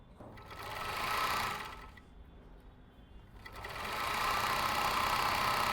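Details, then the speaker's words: Overlock machine stitching a non-denim fabric: even, quick stitching rattle about four beats a second that speeds up and eases off smoothly with no knocking; this is its original, healthy sound. "मैंने आपको जो बताया यह original आवाज है machine का।"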